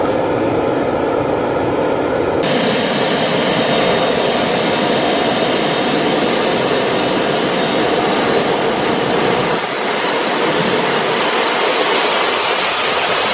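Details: RT130 model turbojet after rebuild at full power: steady jet roar with a thin high squeal climbing on top; compressor wheel brushes the front housing, which owner thinks prevents reaching the set maximum of 120,000 rpm.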